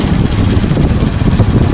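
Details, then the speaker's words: Hatari HBS16M4 16-inch desk fan, 220 V 50 W, on speed 3: fast rough metallic clatter under heavy low rumble; worn rotor shaft or loose bushing suspected, shaft found with about 3 mm play. "นี้ก็เป็นเหมือนเสียงเหล็กกระทบกันนั่นก็หมายความว่าดึงปั๊กไฟออกก่อนครับนั่นก็หมายความว่าแกนโรเตอร์ศึกหรือบูทหลวมนั่นเองครับ"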